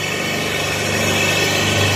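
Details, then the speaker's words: 4 HP high-pressure (HTP) pump running directly, not yet automatic: constant even hum with steady whirring, no knocks or surging; normal running under pressure. "यह हुआ pressure non stop चलने वाला है"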